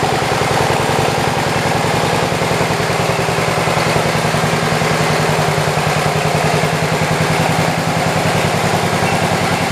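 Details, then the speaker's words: 1967 112 round fender, rebuilt, carburetor needles set to about 1.5 and 1.25 turns open: steady, even putter with no misses or knocks; runs smoothly, slight smoking blamed on two-stroke oil in the fuel. "it's got a little bit of a smoking problem but it does have some two-stroke oil in it"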